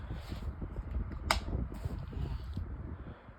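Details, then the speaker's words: Pelonis white table fan on medium speed: uneven low thumping wobble and light rattle under hum, shaking a lot; warped blade causing bad imbalance. "it's not slowing down much anymore and but it still does it it still shakes quite a lot yeah the balance is really bad"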